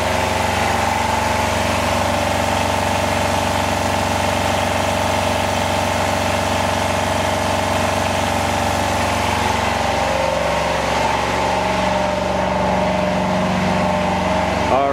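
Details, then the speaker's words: Home-built Yanmar two-cylinder diesel standby genset in a shed, just started warm: noisy but steady run at constant speed with an even drone, no knocking; running normally. "it's pretty noisy it's hard to hear there"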